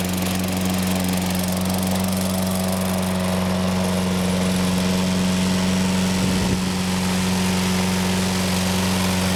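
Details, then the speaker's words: Toro Personal Pace 6.5 GTS mower, Tecumseh single-cylinder engine, running after carburetor cleaning fixed a no-start: smooth, even low drone at steady speed, no surging or misses; normal healthy running. "sounds good personal pace run works well going to let this run a while"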